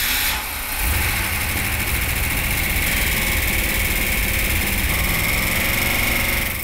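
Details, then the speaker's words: Rebuilt 340 Six Pack V8 for a 1971 Dodge Demon on a test stand, first run after resealing a leak: steady, smooth idle with no knocks or misses. Some initial rattle quieted as it warmed up; it ran great with no leaks. "okay so the engine sounded really good they all route a little bit when they first start out but it didn't take long to quiet down once it warmed up it ran great and no leaks"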